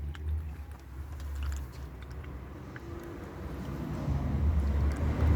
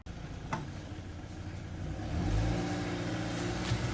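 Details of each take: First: Mark 1 self-bleeding cooling system (no bleed nipple), coolant poured in gently with cap off: low irregular gulping and glugging as trapped air burps out; air gulping while filling coolant. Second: that sounds a lot nicer now and we've got a couple of bulbs out up there notice that she's on the mend and that's the main thing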